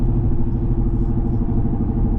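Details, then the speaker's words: Lexus RC F while driving to the gas station: low rhythmic rumble with a faint repeating beat under steady road noise, coming from the rear; owner suspects the tires despite them being fresh, cause unconfirmed. "It's coming from the back. I don't know. I think it might be my tires."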